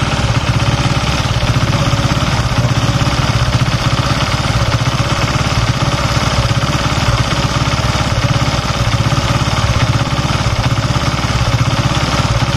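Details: Honda Sonic 150 (K56) single-cylinder engine with oil seeping from a gasket when hot: steady, even idle with a low regular beat and no knocks or rattles; engine running fine, though idle speed changes once hot.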